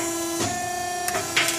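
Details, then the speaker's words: Euromac BX 750/30 CNC punch with the hydraulic pump running and the green switch releasing the die set: steady hydraulic hum with a couple of sharp clicks as the clamp lets go. Normal die release engagement. "In order to pull the tooling out, you have to start the hydraulic pump, and once it's started, this green switch will release the die set, and then pressing this will allow you to pull the top out, so we'll do that."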